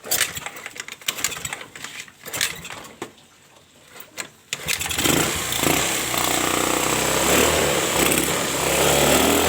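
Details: Honda Vario Techno carburetor scooter, after draining overfilled engine oil that had entered the carburetor and cleaning it: a few starter bursts, then it fires and holds a steady, even idle without misses or knocks; runs fine.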